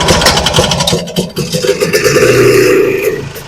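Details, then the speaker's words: Vintage snowmobile two-stroke, stored since last spring, with screw-on carb-bottom fuel filters and primer bottle: uneven cranking bursts, brief buzzing catch that dies. Carb inlet needle stuck, as it was last year. No start, fuel starvation. "Well, needle stuck, and I expected that because last year when I got this out and running, the needle was also stuck."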